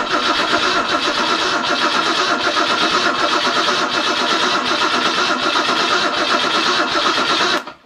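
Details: Ford 200 inline-six cranks steadily but won't fire, even with ether in the carburetor. The coil was short of voltage; adding an extra set of jumper cables to feed the coil made it start right up.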